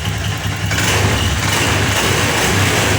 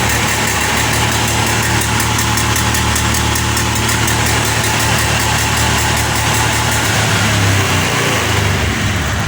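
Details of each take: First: nah Keti kontak on di sini semuanya keadaan normal teman-teman lampu mil pun tidak berkedip ya akan kita engkol karena nya tidak bisa motor sudah stabil stasioner Second: Honda Beat eSP FI revved to full throttle stutters roughly; MIL blinks 8 times, the TPS code, when throttle drops back, yet TPS sensor tested normal; previously unrepaired at another workshop.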